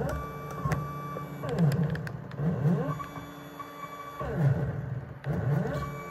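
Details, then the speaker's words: Stepper motor driven by TB6600/DM556 controller from Raspberry Pi 5, repeated accelerate–hold–decelerate cycles with direction reversal: rising and falling whine with rough buzzing, worse at slow acceleration; stepper motor resonance noise. "as you see and hear uh the noise. It can even increase when you accelerate uh slowly."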